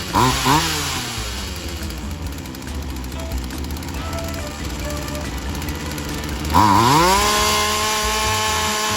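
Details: Polen Wild Thing 2375 chainsaw, a small two-stroke, after new fuel lines, primer bulb and cleaning: it revs, settles to a steady buzzing idle and revs cleanly again, running hot with the throttle raised; any bogging means it still needs adjustment.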